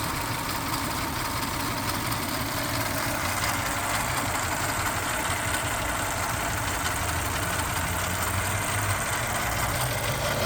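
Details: Toyota 3.4 5VZ-FE V6 after head gasket replacement with an OEM kit and machine-shop heads: rough idle with an irregular stumble about every second. A misfire.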